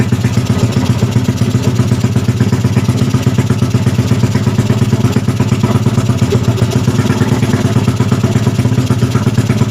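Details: Freshly rebuilt Yamaha Jupiter Z bored up to 120cc with 53.5 mm piston, first start, cold: small single-cylinder thumping at a quick, even idle with light mechanical clatter; settles and runs steadily.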